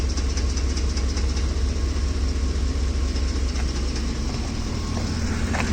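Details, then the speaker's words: Ford F-150 3V Triton V8, hot at idle: loud, steady clatter at two to three beats a second, now constant; left-side camshaft problem suspected, unconfirmed. "It's some form of a V engine, so I have to think something's wrong with the camshaft on the left side here."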